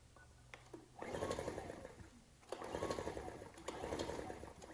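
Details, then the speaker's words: Ryobi RIG1000 inverter generator, old varnish-smelling fuel, on spray starting fluid, choke on and off: three one-second pull-start bursts, fast churning rhythm, never catching; good compression; cranking but not starting. "i'm just going to try and start it on this spray starting fluid i know that's not good for engines but i didn't want to commit to putting fresh fuel in this machine just in case it had a problem i was trying all sorts of choke on choke"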